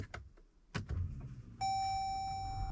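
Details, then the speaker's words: Jeep Grand Cherokee EcoDiesel, key on and engine off after draining water from the fuel filters: a steady high electric hum for about a second as the fuel pump primes the filters normally; the engine is not started yet. "you hear the fuel pump going, but you don't want to start the engine yet."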